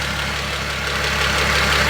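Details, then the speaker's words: Renault turbo at about 99,388 on the clock, mic left in place, just-bought car restarted: steady idle with a light, rapid ticking knock over the engine note; sounds tired, source unclear. "Definitely sounds like something's a bit tired, shall we say."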